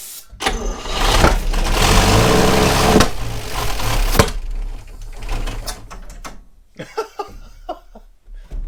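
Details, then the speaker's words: 1960 Chevrolet Step Van, first start in almost a decade after ignition parts and new points: the engine stumbles to life unevenly with loud sharp backfire pops at about three and four seconds, then dies. It sounds awful, so the owner plans to pull the valve cover. "just backfired all over my hand holy yes okay it wasn't running for that long but i'm gonna pull the valve cover and see if any oil has moved at all because it sounds awful"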